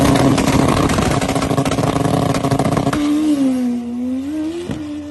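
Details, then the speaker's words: Drag bike on alcohol map with Fueltech tuning, pass down track: clean through first and second, then in third gear engine note crackles and stutters, breaking up from going lean, needing correction. "you'll hear it down track it starts breaking up and that's when i knew we needed to correct something"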